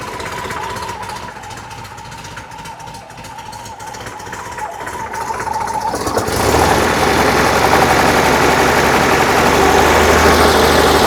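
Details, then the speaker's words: 1968 VW Type 3 with 1835cc air-cooled flat four, newly installed, warming up with some smoke from oil burning off: steady even idle, then louder fuller run from about six seconds; sounds healthy and dialed. "Shouldn't be that bad for warming up. Um the car does sound pretty dialed."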